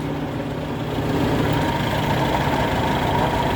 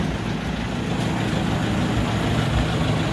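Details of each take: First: Wheels raised, in 5th gear: steady hum from the rear axle that climbs slightly in pitch. Differential whine traced to a worn pinion bearing inside the differential, which has about three bearings. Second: Rear differential after all bearings were replaced to cure a whine, driven in 5th gear: a steady low drivetrain rumble with no whine, now quiet.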